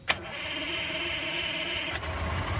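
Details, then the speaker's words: Suzuki 150 outboard that hadn't run in a while, started on a mobile job: a sharp crank catch, then an even, steady run with no misses. Normal start and idle. "Hallelujah. Look at her go, boys."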